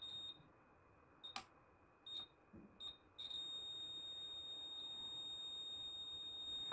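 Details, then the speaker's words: Replacement drum coil taken from another LED driver, continuity-tested before fitting into an LED driver with a blinking fault. The original coil was found faulty and a new capacitor did not fix the blinking. A few short chirps, then a steady unbroken beep: the coil is good. "देखिए भी आपको इसमें beep की आवाज़ आ रही है, तो यानी कि मेरा ड्रम कॉइल बिल्कुल ठीक है।"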